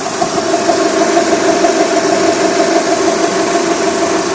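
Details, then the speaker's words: Mitsubishi 4G63/4G64/4G69 after timing belt replacement with stiff Gates/OEM belt, hot idle: constant string-like droning hum, mistaken for a dry idler, actually belt vibration; appears only when warm, changes with belt tension. "этот звук проявляется только на коварство только при прогреве многие думают что это ролики"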